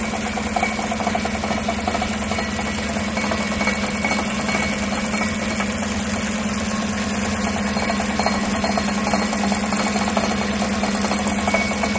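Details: 2016 Chevrolet Tahoe 5.3L V8, 140,000 miles, idling, heard from underneath: loose irregular rattle from the exhaust, no check engine light; the driver-side catalytic converter's internals were crumbling apart and shaking inside the shell.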